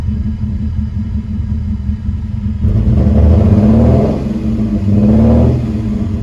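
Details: Lexus IS300, sat about two months with a dead battery: uneven, lumpy, stumbling idle rising briefly with throttle blips. Misfire because two coil wires were pinched by the throttle body during a spark plug job; later resolved.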